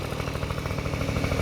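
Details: Honda Dio two-stroke scooter after cleaning oil flooding from a leaking oil pump and fitting a DIY gravity-feed fuel tank in place of the failed fuel pump: fast, even putter, steady low beat, no misses or knocks; idles cleanly.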